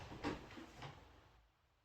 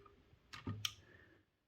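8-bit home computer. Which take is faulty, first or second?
second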